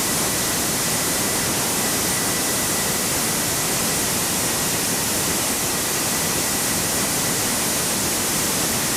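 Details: Jet motorcycle turbine with reworked afterburner stabilizer and ring nozzle, tested in garage: steady even roar with faint constant high tone, no surging or popping; stable at any turbine speed; stable afterburner operation.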